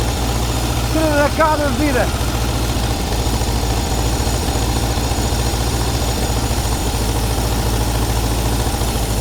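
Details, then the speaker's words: Air-cooled VW T2b pickup engine, unused for 34 years; a low, slightly uneven idle that keeps running without stalling; it is alive, but the oil is full of petrol and must be changed before running longer. "Çuna është gjallë, do të heqim vajin, sepse ka shumë benzinë. Nuk është mi ta vazhdojmë ta ndezim sepse dëmtoj motorin. Është gjallë, është super mirë."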